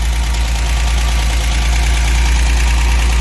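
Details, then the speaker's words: 1963 GMC K1000 4x4 engine idling after swapping distributor cap, wires and rotor: deep, steady, even idle, no misses; normal. "i was bass ackwards on the timing it was way advanced like 30 degrees advanced i got it kind of back into the realm of where it should be running"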